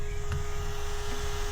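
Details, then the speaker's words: TD5 Land Rover Defender, ignition off, multimeter in series on battery reading 0.33 A: steady thin buzz over low hum from the CD player, a parasitic drain suspected of killing batteries. "Now, the immobilizer or the alarm are not not uh armed at the moment, but what was buzzing was my CD player."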